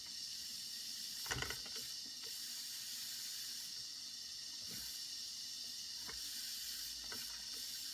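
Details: Circa 1946 Watt Victor electric-heated toy steam engine during repair, heating to build pressure: steady hiss with faint clicks as steam escapes.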